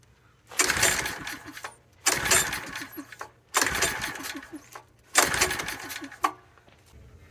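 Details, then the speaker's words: King Canada 1500 W generator, Chinese engine, oil topped up, air cleaner open: four pull-cord rasps about 1.5 s apart with no firing; no-start, spark plug found gummed up. "okay didn't quite get up to speed okay no one wants to fire tried"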